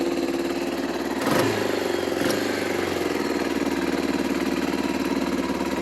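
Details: 1995 Bayou 300 4x4 ATV idling in neutral on choke, possibly low on fuel, with a rebuilt clutch reported. Steady, even single-cylinder putter at fast idle with no knocks or misses. Normal idle.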